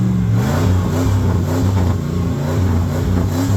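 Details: '96 Ford F150, 239,000 miles, still strong torque: deep, smooth rumble climbing cleanly through quick revs with no misses or rattles; normal start and rev.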